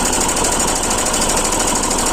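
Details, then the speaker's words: Royal Enfield Himalayan single-cylinder idling: fast, busy metallic clatter (kat-pat) over the idle, steady with engine speed, from the timing chain; failed timing chain tensioner (adjuster) letting the chain go slack, to be replaced. "देखिए यह वाला इसका जो चैन tensioner होता है हम shortcut में adjust पर बोलते हैं यह चैन टेंशनर होता है यही खराब हुआ है"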